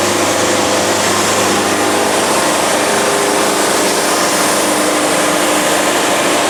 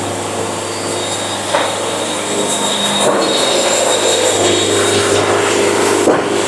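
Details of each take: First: yeah this is painful you can hear the band fighting it even hear it grinding ah so this is the definition of a ugly ass cut Second: Band sawmill cutting a good board at fast feed: steady low motor hum under even smooth rushing cut holding level; band cutting freely, normal band sawmill cutting.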